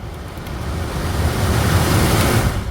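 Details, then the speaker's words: 2009 Mitsubishi Lancer CJ (right-hand drive) cabin A/C blower fan after replacing the old motor, which slowly died and struggled at full speed: the new fan is slowly cranked up, giving a smooth airy whoosh that builds steadily, no rattle, squeal or grinding; normal blower fan operation. "Oh yeah, that works perfectly fine."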